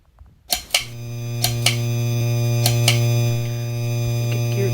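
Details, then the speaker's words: 52-inch Hampton Bay Landmark III Plus ceiling fan in a bedroom: steady low electrical buzz once the light comes on. Light kit buzzing. "could hear that buzzing noise up a little bit down."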